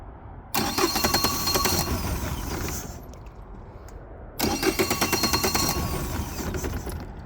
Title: 2020 Mercury 150hp won't start.